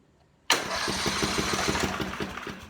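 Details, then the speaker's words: Portable generator, 4-stroke, electric start, after storage with oil in the crankcase, no gas: starter spins it at about five even pulses a second against good compression, sucking air; normal cranking, would fire with fuel. "it sucking air and turning over with some compression behind it. But I could tell you right now, if I would put gas in it, it would fire right up."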